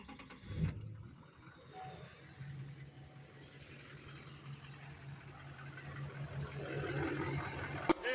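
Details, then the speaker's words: LML Duramax diesel truck that ran out of fuel and would not start despite a new fuel filter, after the revival fix: brief crank, then catches and settles into a steady, even diesel idle with no stumbling; fuel delivery restored. "then I just come and turn the truck crank it up and it's start it right up"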